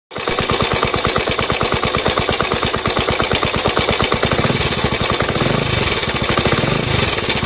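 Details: Suzuki Djebel 125/200 single-cylinder at idle: fast, crisp metallic ticking about ten per second over the idle, a sharp top-end tick; tappet noise suspected, valve clearance worth checking, cause not confirmed.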